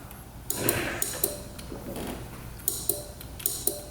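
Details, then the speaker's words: 2007 Honda Metropolitan scooter, fuses good and lights working, electric start pressed: sharp irregular single clicks with no cranking; starter just clicking, relay suspected. "It's just clicking. So, it looks like the starter is kind of just clicking."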